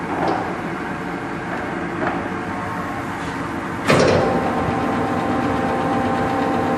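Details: Blanchard No. 18 36-inch surface grinder, 320 thousandths left on chuck, table running through gears: even, steady grinding hum with a couple of soft shift clunks, no knock or rattle; runs healthy.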